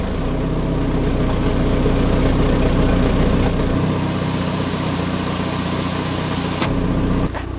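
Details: Citroën with mismatched camshafts; uneven, lumpy idle pulsing three to four times a second with a loud rasp at the exhaust manifold; live data normal; rough running from wrong camshafts.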